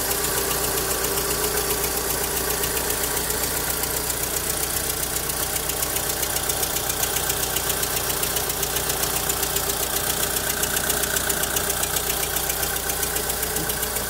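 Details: Volkswagen Saveiro lacking power when pulling away: uneven idle with a loping beat about two and a half times a second; weak cylinders, suspected low compression on cylinders 1 and 2.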